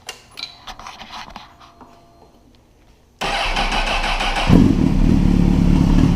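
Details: Honda CBR1000RR after installing a manual APE cam chain tensioner: quiet lead-in, then engine catches and settles into a strong, steady, even idle with no cam chain rattle; normal cold start.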